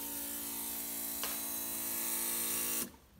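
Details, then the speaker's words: New fuel pump just fitted on a 2013/2014 Arctic Cat that wouldn't run, cycled with air still in the fuel line: steady high-pitched electric hum and smooth whine, cutting off cleanly after about three seconds; pump running normally. "so this may take a second because there's air in the fuel line but it's running we'll do this a couple times you can hear it running"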